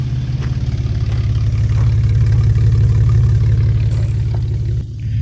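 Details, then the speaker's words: 2004 Ford Ranger petrol engine idling, heard at the exhaust after fuel pump replacement that cured a rough idle: smooth, steady, even low putter with no misses. "You can hear the engine idle. It sounds good. Especially when you come back here to the exhaust."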